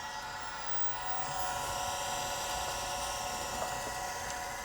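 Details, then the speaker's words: 1980s Chaplet Halikan LA-30A laptop (286, 2 MB RAM) powered on after the dead battery was reconnected. The hard disk gives a smooth, steady high whine over an even hum, with no clicks or scraping, during BIOS and memory test. Sounds healthy. "Oh, yeah, we got a BIOS and memory test happening. Hard disks, spinning, sounding pretty healthy."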